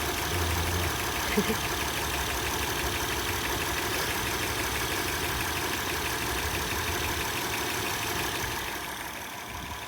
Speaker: The reason it's smoking is it's leaking directly down into the exhaust, >> which is where is that where the tick is coming from?